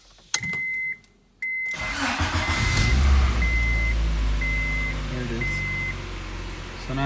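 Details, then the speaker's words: 1997 Honda Prelude after a valve job, new head gasket and timing tensioner, following a crank-no-start problem: short cranking, then it catches and settles into a steady idle with a chime over it, no check-engine light; normal start. "it starts it has no check engine light"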